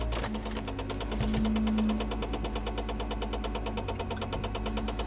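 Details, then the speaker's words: 1994 Saab 9000 with engine running: sharp, regular ticking about three times a second as the heater blower fan catches on something under the dash; the blower cannot be switched off. "Blower's hitting something under the dash. And you can't turn it off, which sucks."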